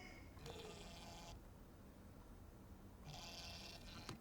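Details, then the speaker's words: Reolink E1 Zoom 4K indoor Wi-Fi camera tilting: two short, quiet whirring bursts of about a second each, softer than panning. Ordinary tilt motor noise. "Uh it's not as loud as the panning, but it there is some uh tilt noise."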